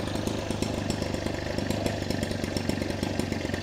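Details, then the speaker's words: Kasei two-stroke fertilizer spreader, after freeing a float needle stuck by the 2T-gasoline mix that had stopped fuel flow and caused a no-start: steady, even buzzing with a crisp firing rhythm. Normal running. "สตาร์ทติดเรียบร้อยแล้วนะครับนี่ก็คือวิธีการแก้ไขนะครับ"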